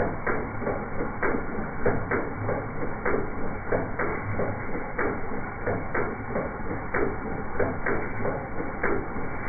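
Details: 1978 Datsun 280Z inline six misfiring at idle: uneven, lumpy idle with loose clicking about 1.5 times a second, caused by sloppy valvetrain.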